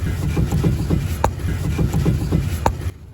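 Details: Mini Cooper R56 front suspension: dull low clunks in irregular bursts about three a second; owner suspects front stabilizer sway bar bushing play, hoping lower arm replacement is unneeded, not confirmed.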